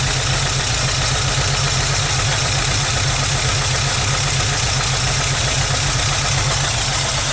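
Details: 1991 VW Vanagon Carat right after start-up, spraying black watery soot, idle set high: loud, uneven ragged idle about four pulses a second with much hiss; rich start rough idle.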